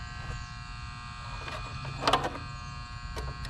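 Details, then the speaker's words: Rheem Classic heat pump not cooling at foreclosed home, missing fuse: contactor pulled in, coil buzzing steadily, contactor broken apart with contact points loose. "what i'm looking at is our contactor is pulled in you can hear it buzzing"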